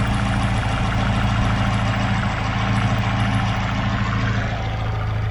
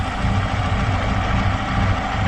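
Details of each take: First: Chevrolet Aveo T250 with added LPG equipment, engine nearly warm, idling switched to gas: steady, even idle with a low uniform hum, no stumbling; on petrol it shakes and misfires, no fault codes. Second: Chevrolet Aveo T250 with added LPG, running on petrol at nearly warm idle: uneven lumpy throb, engine misfiring on one cylinder with no scan codes; runs smoothly on gas; injector not receiving signal.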